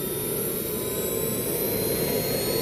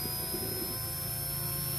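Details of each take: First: JetCat P120 kero-start turbine on a bench run, glow plug ignition with temperature rising: a high whine that hangs, then sags instead of climbing. The ECU reports acceleration too slow; the owner suspects too much air in the fuel line from the last run. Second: JetCat P120 kerosene-start model turbine on a bench run: the start aborted with an acceleration-too-slow error, which the owner suspects came from too much air in the fuel line. A steady high turbine whine with no surging follows, a normal cooldown spin.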